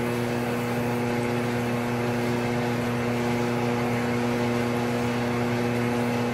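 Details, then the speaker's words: Triumph 650 unit crankshaft on grinder, journal with visible damage and leftover bearing material: steady grinding hum with rhythmic swell and fade of wheel contact about three per second, journal still out of round. "You could probably hear how out of round it was, but I've just got a little bit of it cleaned up so I can have something for my steady rest to press against."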